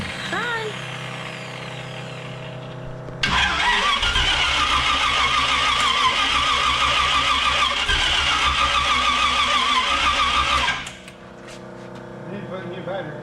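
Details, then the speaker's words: 1932 Roadster with newly rebuilt engine and electric fuel pump, first start after frame-off build: catches and settles into a lively, even idle with crisp exhaust, no knocks; normal idle. "thing woo no fire oh my gosh that sounds so good"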